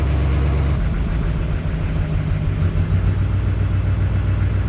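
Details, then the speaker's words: Duramax diesel at idle: a light quick tapping at roughly 3–4 per second over the rumble, increasing as it warms. It was traced to a cracked passenger-side up-pipe leaking exhaust and boost, replaced with PPE Racing up-pipes. "It's tapping, and when it gets warm, it starts tapping even more. You hear that tapping?"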